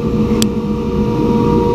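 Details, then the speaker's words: Aerco Benchmark 2.0 high-efficiency boiler, control relay bypassed to force a call for heat (setpoint 189°F, at 133°F): one click, then a steady low roar and constant hum; burner lit and firing normally. "our control is this little relay here we're going to bypass all programming and we hear it coming on hey we have fire"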